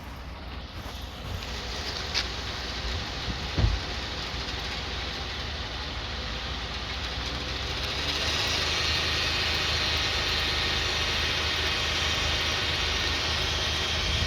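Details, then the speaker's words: 2009 Toyota Sienna, front-wheel drive, 3.5 V6, in drive with the wheels off the ground spinning on light throttle up to about 1,500 rpm. A steady drone builds on one front side. A worn front wheel bearing is suspected, not confirmed. "Yeah, I hear the sound coming from this side, but I don't hear nothing here."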